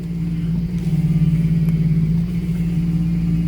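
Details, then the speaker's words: Lexus SC400 after a power steering fluid flush with Dex/Merc III ATF. A steady whine still rides over the revving engine but is much quieter and gone at idle; the pump remains suspect. "still whiny but on the bright side it's a lot quieter and it doesn't whine at idle"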